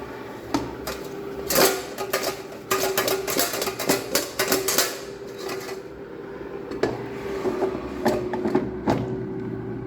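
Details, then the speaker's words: Jaipan air fryer on first use, cooking french fries at 200°C about 10 minutes in. Steady fan hum with scattered clicks: the relay switches the heater on and off while the fan runs continuously. Normal operation. "In between you will hear a ticking noise, ticking sound. So it is not an error or anything, it is just the relay turning on and off."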